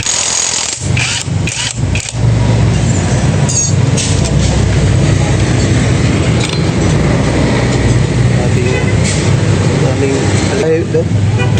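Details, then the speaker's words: Honda Click scooter, rear wheel spun by hand; steady rough rumbling grind from the transmission, traced to a failed pilot bearing and inner ball bearing. "shoot natin yan oh yan napakaingay mga do titingnan natin yung bearing dito"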